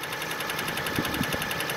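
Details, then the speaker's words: Toyota petrol engine idling after about 40 miles on Marvel Mystery Oil, before Rislone treatment for noisy lifters: quick, even light ticking of roughly nine ticks a second; source unknown, owner unsure if normal or improved. "I'm not quite sure where the ticking is coming from. I'm not quite sure whether this is like how a Toyota engine is supposed to sound like."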